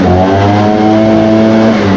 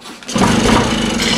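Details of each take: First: Echo two-stroke after Zama carburetor replacement and idle/high/throttle adjustment, hot at operating temperature: crisp buzz revs up cleanly then settles into a steady, even run with no stumbling. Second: Echo 403T blower with a replacement Zama carburetor, warming up: small two-stroke idling low and slightly uneven, just above stalling, while the low-speed screw is adjusted. It is usually set a quarter turn from this point.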